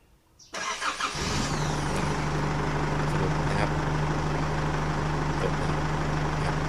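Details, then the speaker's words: Isuzu D-Max 4JK1 diesel after starter replacement (previously cranked 4–5 seconds despite a new battery; battery uncharged overnight): brief crank, catches within about half a second and settles straight into a steady, even idle. Normal quick start. "นี่ครับยอดสตาร์ทครับที่ยอติดตอ่าปกตินะครับไม่มีรางซึ่งแบตรุ่นนี้ก็ไม่ได้ชาร์จนะครับ"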